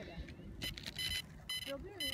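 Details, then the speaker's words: DJI Phantom drone just pulled from a lake after crashing during a shoot; owner suspects loose connectors; short high-pitched electronic beeps in uneven bursts, still alerting after the dunk. "what it's beeping Is it alive there's no way it's still alive did you hear it"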